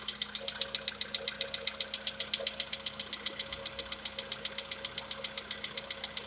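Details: Sharp, evenly spaced metallic knock about twice a second over a quiet idle, source not identified, on a VW Polo Sedan with CFNA engine; the owner tests whether decarbonization cures this long-known knock.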